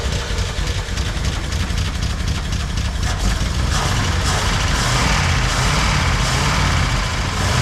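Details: 1976 Jeep CJ5 304 V8 running on fuel poured into the carburetor bowl after the carburetor showed no fuel delivery: deep, fairly even idle with a steady low rumble and no misses or knocks. Normal idle.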